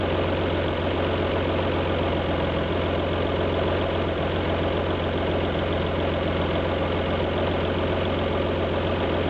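Steady V6 idle with a faint uneven pulse in the exhaust beat, one cylinder seemingly dropping out now and then: a misfire at idle.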